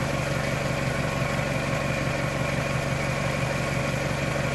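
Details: 1998 Toyota Camry, idling after water pump and timing belt replacement and after the filler hose fitting O-ring was replaced: an even idle hum with a low, smooth pulse and no knocking or ticking. The engine sounds healthy.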